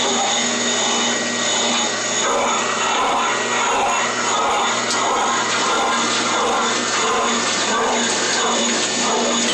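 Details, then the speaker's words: Dishwasher installed last Friday: loud, steady whirring racket with rough pulsing about 88 times a minute from the pump motor; a bad pump motor bearing is suspected, unconfirmed. "so I just put this cma in last friday and the client finds it extremely noisy and i hear like a bearing making a racket there in a pump motor"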